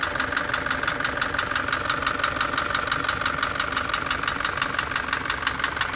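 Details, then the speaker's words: Isuzu light truck engine ticking constantly from startup: crisp, even ticks about three per second, locked to engine speed, at idle. A worn camshaft lobe tapping the rocker or tappets is suspected, not confirmed. "تولي ما عادش عندها كاميرا، تولي تضرب هنا تكسر، تكتك، تبدا تكتك على البوسوار او او على التكهات."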